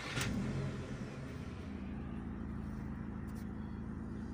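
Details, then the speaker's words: SEAT Leon mk1 1M 1.8T, TiAL blow-off valve refitted with original spring plus shims: after a brief blip, low, even, steady idle; revs no longer drop when accelerating, runs smoothly. "Se escucha parejito, la verdad. Vamos a acelerarle. Se escucha chido."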